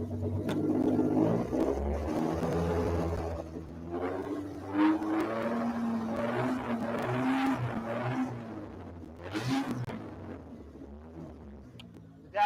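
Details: Toyota 1MZ-FE V6 Camry engine, straight piped (headers to Y-pipe to single 2.5-inch outlet, no muffler), warming idle, oil pressure 48 PSI: deep raspy unmuffled burble, even firing, no knocks or misses; healthy.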